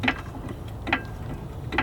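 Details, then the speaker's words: 2016 Honda Civic that hit a pothole, front suspension on jack: three spaced dry creaks about 0.85 s apart as the suspension settles down; some kind of bushing problem, loose or old age. "and I could even hear that Creek when I jacked it up as the suspension went down so it's definitely some kind of bushing type problem either loose or just old age"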